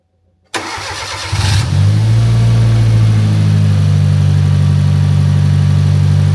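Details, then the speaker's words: Fiat Punto GT Turbo first start after a four-year restoration, warming toward temperature: catches, flares, then settles to a slightly lumpy, uneven idle; airflow meter suspected, not confirmed. "But as you can hear, it is a little bit lumpy. So, I am going to have to try and get to the bottom of that. It's probably going to be the airflow meter."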